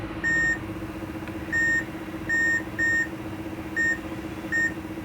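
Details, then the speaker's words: HP laptop, LA-D703P board with failed CPU: multimeter continuity beeps, six short sharp high tones in five seconds over room hum, one pin beeping, marking a short circuit. "okay in one pin the beep is not coming but the other one is coming"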